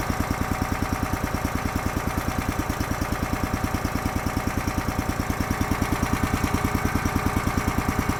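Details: Honda GX240 small engine with Keihin carburetor on a hydraulic power unit (auger, fold-unfold), seldom used, after carb work for lean surge: crisp, even exhaust pulses at steady speed, no surging or hunting; sounds normal, running it out of fuel.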